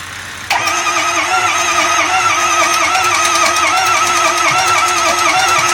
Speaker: Alright, this is a 2005 F-250 6.0. That's what it sounds like trying to start.